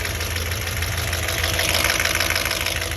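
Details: 2006 Audi B7 S4 4.2 V8 idling with a light, fast ticking over the low rumble; owner also notes backfiring and that coils and plugs are due, and believes the timing belt is not the cause.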